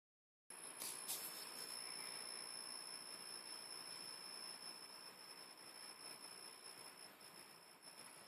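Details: PS3 fat game console running: thin, steady high-pitched whine over soft hiss, cause unknown.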